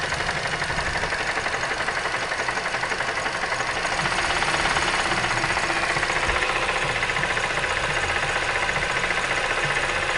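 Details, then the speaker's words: Mazda 3 petrol engine with a hard, uneven knock while running; cause found as a broken piston and sunken cylinder liner in cylinder 4 after a previous rebuild, other cylinders showing normal compression around 13. "про сажина гильза и разбит поршень четвертом цилиндре"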